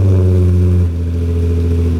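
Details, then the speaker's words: Nissan 350Z VQ engine after custom exhaust rebuild with a nicer muffler: deep, smooth exhaust drone easing from a rev down to steady idle, not too loud, way quieter than before; normal exhaust note. "That sounds way better. It's like almost, it's not quiet, but it's not like super loud either. Yeah, it's way quieter."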